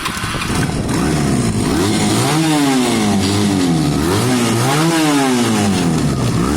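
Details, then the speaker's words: Honda CB250 bobber that just passed its MOT, revved with clean rises and falls and even firing, no knocks; backfire occurs only on deceleration, and a tiny irregularity may be sorted by the air-fuel screw. Normal running and revving. "This is a road legal bike with an MOT. It rides and sounds beautiful."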